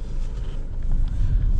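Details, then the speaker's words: Tata Altroz petrol after major full service, driving over rough brick road: only low road rumble and some wind, no clunks or rattles from suspension or steering; quiet, sound suspension. "ये इस तरह के road पे ना बहुत आवाज आती है। आपको थोड़ी सी भी प्रॉब्लम होगी ना तो बड़ी जल्दी पकड़ में आ जाती है। कोई आवाज नहीं है।"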